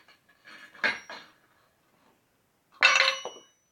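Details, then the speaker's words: Assembled stunt scooter jostled: two short bursts of tinny metallic clinking from loose hardware; a finished scooter shouldn't rattle, so tighten everything. Cause suspected, not confirmed. "None of the metal should rattle, pretty much. If it is rattling, though, make sure everything else is tightened."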